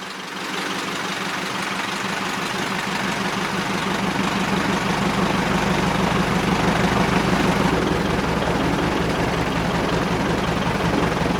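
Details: Piper Super Cub widebody after refurbishment and tune-up, hand-propped on the ramp because of a dead battery: catches and settles into an even beat near three pulses a second, rising smoothly as it warms, no misses or knocks.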